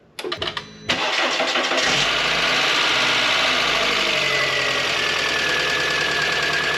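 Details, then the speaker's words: 2005 Volkswagen Beetle first crank after front-end collision repair, coolant and oil added, on a battery pack without the car battery installed: short cranking bursts then long steady whirring with no firing; turns over but won't catch, cause unconfirmed. "I'm gonna guess we need to put the battery in."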